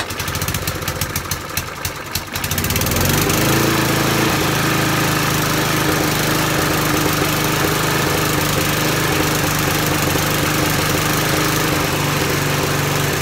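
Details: Hayter Harrier 41 petrol mower after a carburettor clean for surging: catches after a couple of seconds, then settles into a steady, even running note with no surging or hunting.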